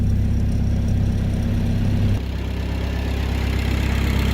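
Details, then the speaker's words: Mk1 Ford Escort with rebuilt YB engine after fixing low oil pressure, cold idle about 990 rpm, oil pressure about 78 psi, four times before: steady, deep, even low beat, mechanically much quieter, no tapping or knocking; normal idle. "already it's a lot quieter mechanically which is great"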